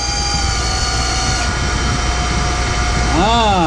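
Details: Boyar Schultz Challenger surface grinder, motor reinstalled and spun up: a steady whine with several thin tones over it, then a warble as it coasts down. A noisy spindle; cause unconfirmed.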